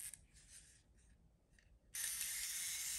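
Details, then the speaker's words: Konica IIIA 35mm rangefinder mechanical self-timer running: a loud, steady high-pitched whirring buzz starts abruptly and runs evenly; the self-timer works normally, just extremely loud. "um self timer works and it's extremely loud okay"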